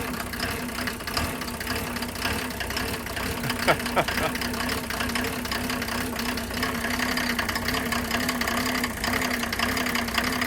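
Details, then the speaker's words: Classic Mercedes diesel (OM603/OM606/OM617 family) cold start: uneven clatter, lumpy irregular idle, smoky; dead glow plug on cylinder 4, found by resistance test, leaves it running rough cold before replacement. "Good old Smokey, and how Smokey got his name, 50% of it anyway. So, observe. Once I crank it up, see what you think."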